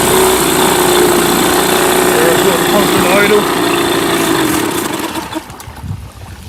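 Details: Mercury 8HP two-stroke outboard, sat unused for an unknown time, running in a water tub on its first test start while carb cleaner is fed in and it is put in gear; a loud, steady buzz holding even revs, then easing off; normal running.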